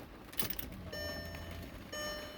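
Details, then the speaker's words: MK4 Golf GTI 1.8T with new tune (missing fuel up top), after installing uprated DeatschWerks DW65C fuel pump: key on, low steady electric hum for about a second, twice; new pump priming normally. "so I can hear the fuel pump priming it's always a good"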